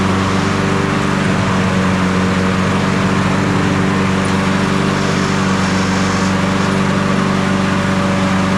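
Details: Toro 22-inch Recycler model 20379 with Honda GCV160 engine, after self-propel belt replacement; steady, even single-cylinder drone with constant pitch, no knocks, rattles or belt slipping; running normally.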